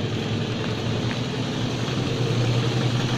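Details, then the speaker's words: Old used car with an old engine, idling in neutral just after a first-try start: a steady even low rumble with a regular firing beat, minimal vibration and no stumble or knock, so it is idling smoothly and healthy. "Walaupun dia ini mesinnya mesin tua ya, bisa dilihat getarannya minim, ketukan irama suaranya masih rata ya. Jadi mobil itu termasuk dia sehat itu adalah dari ketukan irama mesinnya."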